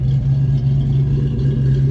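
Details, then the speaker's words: Healthy-sounding V8 idling after a Flowmaster cat-back exhaust was fitted: deep, steady low rumble with a slightly lopey pulse, sounds like it has a cam; normal idle. "that sounds like it's got a cam in it not bad at all"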